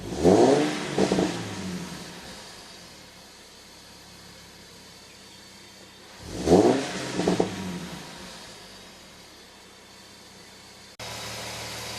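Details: Nissan 370Z V6, four quick throttle blips with a thin high whine riding over the engine note; owner asks for help diagnosing the whine, cause unknown.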